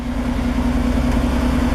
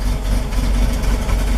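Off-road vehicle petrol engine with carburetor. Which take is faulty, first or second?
second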